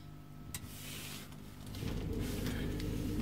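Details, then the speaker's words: Trianco Aztec electric boiler with no hot water but working heating, heating switched on: quiet room, then a soft low hum builds into a steady even drone as the circulating pump starts and runs smoothly. "you can hear the pump running so this is a pump here which sends a flow up through the unit and out the flow"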